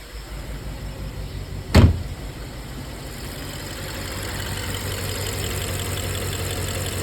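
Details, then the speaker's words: BMW 650i Gran Coupe, N63TU V8, 185K miles, cylinder two has no compression: restarted after reassembling an intake piece, a thump then low, slightly uneven pulsing idle; engine still vibrating a little. Owner earlier suspected a bad injector. "engine's still vibrating a little bit but uh we'll go for a quick spin just around the block"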